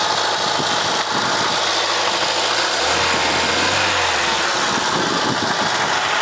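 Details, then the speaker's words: Mercedes W123 230E first running in about 16 years, rebuilt metering unit, no alternator fitted yet, tap water in cooling system: steady even idle, no misses or knocks, faint power steering pump whirr; smooth and quiet, heard also from the rear. "sounds nice and smooth and quiet back here as well"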